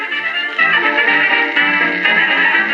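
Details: HMV Little Nipper Mk II valve radio that had static but no stations. After restoration it howled until the output transformer secondary wires were swapped. It now plays music clean and steady at fair volume with no howl or squeal, so it is working properly.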